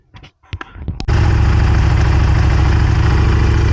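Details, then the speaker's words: 1998 Honda Superhawk (Firestorm) that kept locking up, after carbs cleaned and fed from an IV fuel bottle: after a few clunks and long cranking it catches and settles into steady, even idle with smooth low beat; sounds healthy, still cold. "it took a little cranking but it's running it wouldn't do this before so this is definitely a good sign sounds good sounds healthy"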